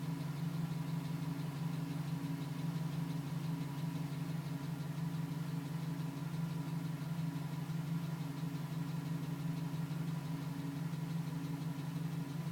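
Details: 2010 GMC Sierra with 2000 miles, cold start idle at about 4 minutes: quiet, fairly even tapping about three per second; it stops at 5 minutes 42 seconds once warm; owner suspects piston slap, unconfirmed.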